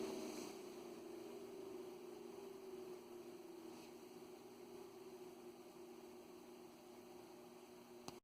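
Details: Ameritron ALS-600 amplifier power supply, original cooling fan running before replacement with a Noctua fan: steady airy rush with faint whistling tones at constant speed; the fan is noisy.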